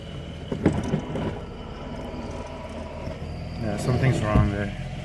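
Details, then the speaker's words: Mazda RX8, rough idle with gritty whirring, scratching and squeal when clutch pedal is pressed; pedal stays on floor, won't shift into gear after loud pop accelerating in 3rd; throw-out bearing failed, broke apart in housing, damaging clutch and flywheel. "I felt something scratching and you heard all that noise"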